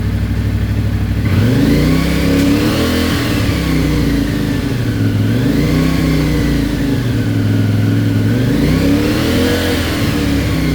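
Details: CFMOTO IBEX 450, warmed to 180, cruise control holding about 3500–4000 RPM before the ECU tune: engine note swells and sags every three seconds or so, surging and jerking between 3500 and 5500 RPM from the stock ECU map.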